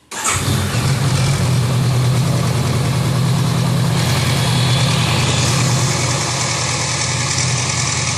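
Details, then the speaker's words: Honda CB 500X motorcycle: fires and settles to even idle with fast light tapping from top of engine near cylinder head, caused by loose breather hose and loose bolt on top of the head. "esse problema dessa moto aí ó é o seguinte eu tava com a mangueira do respiro todo e um parafuso que vai em cima ali do cabeçote ali também tava tava todo"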